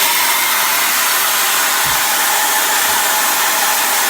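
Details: Liquid oxygen filling a portable tank from the large pressurized tank after turning the valve key: loud, steady, even hiss of oxygen flowing into the low-pressure small tank, no sputter; normal transfer.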